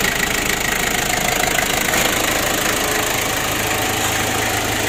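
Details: Ford Ranger diesel losing lots of oil and unable to rev high, with a temporary auxiliary pump added to feed diesel to the injection pump: runs steadily with an even clatter, no misfire or stumble; normal running.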